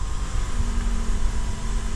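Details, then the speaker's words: 2013 Toyota Camry, engine warming from cold: idle drops below 500 rpm with deep, lumpy, uneven rumble and vibration; low idle and stalling at stops from carbon-fouled dirty throttle body. "as the engine heats up this rpm drops and it's below like 500 and i'm gonna give it a moment until it drops down and you can feel the vibration"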